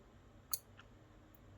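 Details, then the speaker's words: Elegoo Arduino starter kit relay driven by Arduino output pins supplying enough voltage to activate the switch: two crisp clicks about a second apart in a quiet room, relay switching normally. "but for whatever reason anyways it's supplying enough voltage to the relay in order to to to activate the switch"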